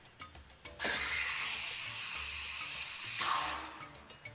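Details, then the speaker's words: Steam wand reheating a jug of milk that was already heated earlier gives a steady high hiss with a shrill squealing scream on top, the "unhappy milk" sound caused by heating milk more than once. "that's an unhappy milk sound and that's just because you're trying to heat more than once"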